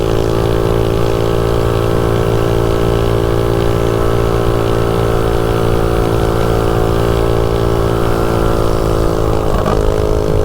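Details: DuroMax 208 mini bike with VM22 Mikuni carb and 115 main jet, riding at wide-open throttle near top speed: steady high buzz, pitch even and strong, brief dip near the end; runs snappy and decent, though gearing feels short.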